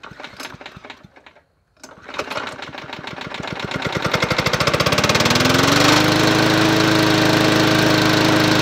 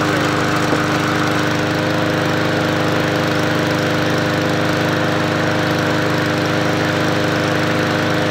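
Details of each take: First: Yard Machines 20-inch P510 push mower with Powermore engine, bought as non-running, started after three primes; runs steadily with a sharp regular knock, owner suspects rod knock, oil smell present; cause unconfirmed. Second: MTD Yard Machines 20-inch P510 push mower with a Powermore engine, bought as a non-runner, running after an oil top-up: an even, constant drone at steady speed with no knock or tapping, so the engine sounds healthy.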